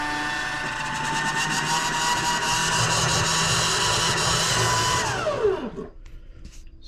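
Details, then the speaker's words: LG front-load washing machine with jury-rigged drain pump, draining at 12 minutes: steady high whir with no water gurgle then falling wind-down, pump running dry after full drain, normal. "you can kind of hear the noise that it gives when it's drained fully you can just tell there's like a there's a special noise to it"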